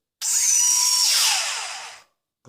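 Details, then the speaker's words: JJRC Yizhan Tarantula X6 H16 drone, tilted vertical with throttle up: one motor starts failing and squeals, a piercing high squeal bending in pitch, unlike the smooth healthy motors; failing motor lacks power, drone drifts to that side. "este ya vemos que empieza como a fallar porque ya empieza a chirriar"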